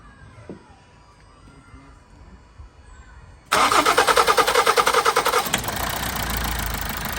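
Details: Toyota Avensis T270 2.0 D4D diesel (2011), started after the fuel system was primed, following a seal repair on injector number 4: quiet, then it catches at once into a steady, even diesel clatter with a couple of clean blips. Healthy start.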